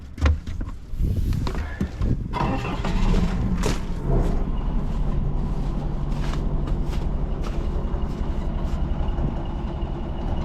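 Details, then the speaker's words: Old Hitachi excavator diesel, abandoned possibly over 10 years, revived: rough cranking with scattered knocks, then catches into an uneven, labouring chug and stalls; it's running out of fuel. "it's running out of fuel"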